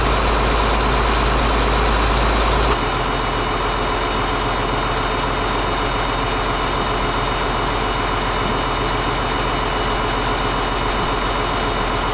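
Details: Caterpillar D8H bulldozer, 46A serial, year unknown, first start after sitting 15+ years: deep smooth diesel idle holding an even beat, no rattles or stumbles; normal diesel idle, running good.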